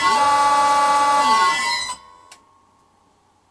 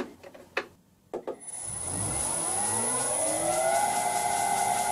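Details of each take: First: 32-year-old Allen Bradley VFD running a vintage lathe motor: piercing steady high whine near a thousand cycles with a second tone below, cutting off as the drive stops; the old frequency drive screaming, to be replaced by an XYS-AT1. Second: Vintage lathe motor on a new XYS-AT1 VFD, much quieter than the screaming 32-year-old Allen Bradley it replaced: a few clicks, then a smooth tone rising evenly as it spins up to a quiet steady whir; drive and motor healthy.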